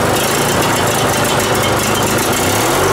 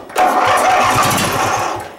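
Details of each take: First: Riding mower, started after starting fluid was sprayed into the intake and the air filter refitted: fires after a few seconds and settles into a steady, even thump over a noisy background. It runs normally. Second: Riding mower project, newly fitted battery: a short rough cranking burst nearly catches, then fades without running. It cranks but won't start; fuel pump or carb problems are suspected.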